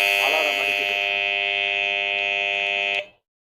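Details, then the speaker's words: Three-phase phase-sequence relay alarm circuit with 230 V relay, yellow and blue phases deliberately swapped: steady high buzzing tone for about three seconds, then cuts out on reset; the alarm sounds because of phase reversal. "இப்ப வந்து base வந்து reverse ஆயிடுச்சு அதனால வந்து alarm அடிக்கிறது"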